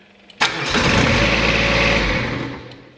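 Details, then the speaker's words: Exmark XS diesel 60-inch zero-turn, glow plugs used, throttle at about a quarter: cranks, catches and runs roughly two seconds, then dies because a faulty fuel shutoff solenoid closes after starting. "so what's happening here is for some reason this unit allows temporarily the engine to start by extending the shaft out thus letting the fuel the fuel to circulate but after the engine starts up it's closing"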